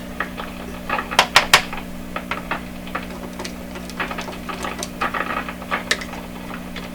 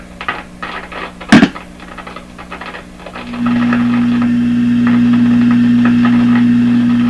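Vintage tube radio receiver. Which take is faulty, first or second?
first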